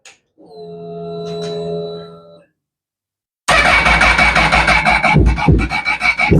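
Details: Honda motorcycle that wouldn't start: the fuel pump hums briefly, then, with the throttle cracked slightly, it catches and runs with sharp revs. It was fixed by fault finding, and the owner's original ECU is suspected as the real problem.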